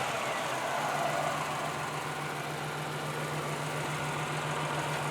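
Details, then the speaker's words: 1991 Chevy Lumina Euro, 3.1-liter V6, hot engine at idle; quiet, even idle with a steady low hum and no knocks or ticks, runs and sounds healthy. "Runs good. Sounds good too."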